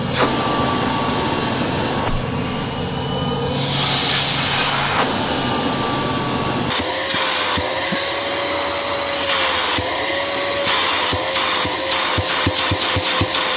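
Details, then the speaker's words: Curb-find Bissell PowerClean upright vacuum with abused filters, suspected worn belt and iffy bearings, tested at the neck: loud steady rushing roar with a thin whistle on top; plenty of airflow and suction, normal. "yep that actually feels reasonably healthy plenty of airflow and suction right there on the neck"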